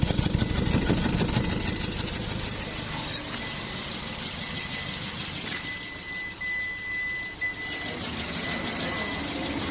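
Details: Hyundai Grand i10 engine idling with an irregular, lumpy beat around three pulses a second and occasional stumbles, pointing to a misfire at idle.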